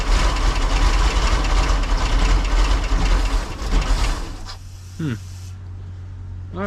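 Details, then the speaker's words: Old sterndrive boat, first start attempt: a long crank with ragged firing that catches for a moment and then dies back. It wants to run but won't stay lit after the throttle was pumped; the owner suspects flooding. "well it wants to run a couple more pumps did I give too much [Music] gas probably flooded it"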